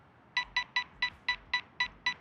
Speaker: There is a bit of obstacle avoidance kicking in right now. That's because of how close I am to the tower itself. That's why you can hear all the beeping going